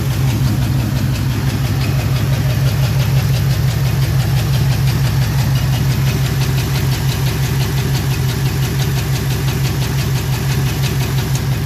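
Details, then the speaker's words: LS4 V8 at rough idle with the number 4 injector unplugged: a steady stumble about three times a second with a light tick. Owner thinks a lifter has collapsed. "Now, that's for two reasons. Number one, got the injector on number 4 unplugged, but number two, you can probably hear that. That, unfortunately, is a lifter that I think it's collapsed."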